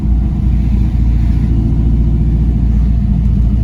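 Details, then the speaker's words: Chevrolet C5 Corvette 5.7L V8 with SLP exhaust, driving in second gear on a hot day after replacing serpentine and AC belts: deep, even rumble under load, no squeal or chirp; normal running engine. "all right you hear how smooth became this with just nice little clutch in second gear"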